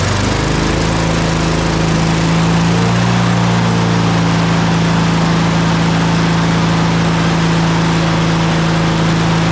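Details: Honda HRR216 mower (GCV160 engine) after full service: spark plug, air filter, oil change, blade sharpened, carburetor cleaned, fuel tank flushed; smooth, constant buzzing note holding speed without surging or stumbling; healthy running.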